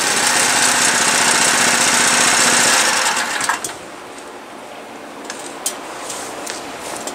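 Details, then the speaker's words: New Predator 212cc 6.5 hp engine on snow blower, replacing 40-year-old engine with failed carburetor: loud even fast-firing roar about three seconds, steady under auger load, then drops away; runs strong and healthy. "Well, all right, so that thing's working better than it has since I bought it 3 years ago."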